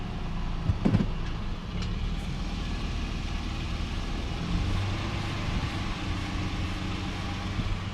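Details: 2008 Toyota 4Runner in drive after a rear brake job: a steady low drivetrain hum and no more rear ticking. The loose parking brake spring that was touching the studs has been fixed.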